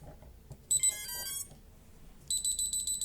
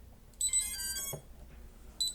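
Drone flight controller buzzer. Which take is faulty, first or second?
first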